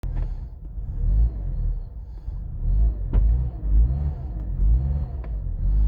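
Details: Mazda 6 after piston replacement: deep engine rumble surging up and down, idle hunting high and won't hold steady; now hard to start; high unstable idle.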